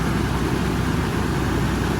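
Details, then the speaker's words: Toyota Supra after auxiliary belt change, idling with air conditioning on: steady even idle under a strong low roar from the viscous fan, which quietens as it warms, no squeal from belts or aircon; normal idle. "Smooth as silk as ever in this engine. Obviously a lot of the roar you can hear is from the viscous fan that this has."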